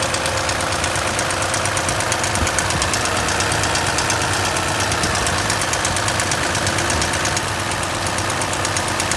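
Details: Engine at steady idle with quick, even light ticking at about three per second on top: excessive valve lash clearance tapping.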